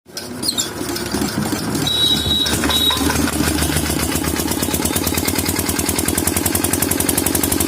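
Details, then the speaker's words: Single-cylinder diesel that smokes and won't take load: uneven chugging at about three beats a second that stumble and surge, a misfire blamed on faulty fuel delivery. "नमस्कार दोस्तों, जैसा कि आपने अभी हमारे engine की स्थिति देखी, यह धुआं छोड़ रहा था, कोई भार नहीं ले रहा था, और आप इसे मिसफायर भी कह सकते हैं।"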